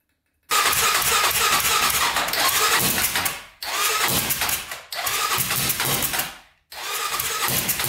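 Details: 1999 Honda 400EX quad, turbocharged, freshly honed cylinder, 198 main jet: sharp raspy revs sagging and cutting out between throttle blips; rough running as the carburettor leaks boost through a drain bolt not referenced to boost, since given a boost line.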